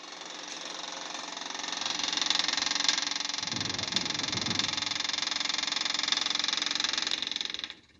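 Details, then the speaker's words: 1988 Tennant 255 Series II sweeper, new fuel line just fitted, key on with booster on the dead battery: fast, even, high-pitched clicking about three to four a second; electric fuel pump ticking while priming the line. "Booster's on now. It's probably gonna take a while to pump it."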